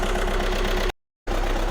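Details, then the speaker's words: Audi A1 diesel at idle during oscilloscope testing: uneven, lumpy beat with a regular stumble, a dead miss. The injector draws zero current, so that cylinder is doing nothing. "the way it's running, it sounds like a dead miss, as in that cylinder is doing sod all."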